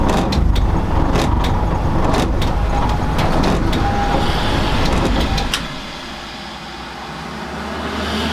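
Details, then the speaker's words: Sharp, uneven clicks about three to four a second over a low rumble as the fuel pump relay cycles in and out during a breakdown; the relay is hot. "You can hear my fuel pump relay clicking in and out."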